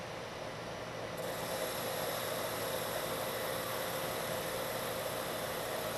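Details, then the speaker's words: Lathe turning a long thin part after a center was machined in its end, same depth and speed as the earlier chattering pass: a steady, even cutting hiss with no chatter, giving a better surface finish. "this time you don't hear the chatter and if I stop the machine you can see I have a much better surface finish"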